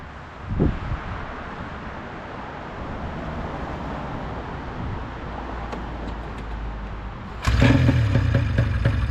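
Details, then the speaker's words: 1996 Ski-Doo Formula SS, Rotax 670 twin, sat 10 years, carburetors cleaned: even, steady two-stroke burble idling around 1500–1600 rpm, then louder near the end. It idles smoothly but won't take throttle and bogs a little. "nope no didn't want to take throttle but it sat there and ran for a while that was pretty cool it's idling at like 1500 1,600"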